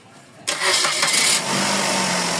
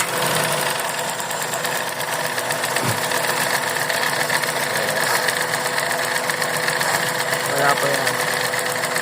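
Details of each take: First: Suzuki Celerio with engine misfire issue, after swapping in replacement parts (a newly bought part was faulty): engine cranks and catches at once, then settles into a steady, even idle with no stumbling. Normal start and idle. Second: Suzuki Celerio small petrol engine idling unevenly with a fast, ragged ticking: a misfire caused by spark visibly leaking off the ignition coil instead of going to the plug.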